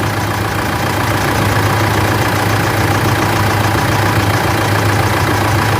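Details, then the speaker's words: Mitsubishi L200 Triton 3.2 diesel after timing chain replacement: steady, even idle with smooth low beat and no rattle from the front of the engine; normal idle. "E aí virou galera zero barulho da corrente"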